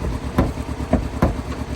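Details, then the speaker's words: Chevrolet Cobalt with about 180,000 miles, just started, blowing black smoke: idle stumbles with uneven heavier thumps about every half second and the engine shakes; misfire at idle. "Smoking on a, what you call it? Black. Got a misfire."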